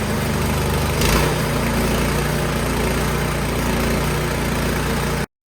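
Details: Craftsman snowblower after troubleshooting a no-start and reassembly; small single-cylinder engine runs steady and even at a fast putter with no misses, surges or knocks; normal running.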